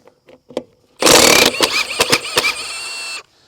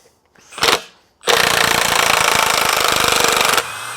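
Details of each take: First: Milwaukee M18 FUEL Gen 3 1/2" high torque impact wrench, 5 Ah battery, removing original rusted 13/16 trailer lug nut: few clicks then two seconds of steady rapid hammering, labouring briefly to break the rust-seized nut loose. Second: Milwaukee M18 FUEL Gen 3 1/2" high torque impact wrench with 5Ah battery, on speed setting 2, backing out a 3/8 x 6 lag bolt held in a vise: a short spin-up, then about two seconds of rapid, even hammering that stops cleanly; a healthy impact mechanism.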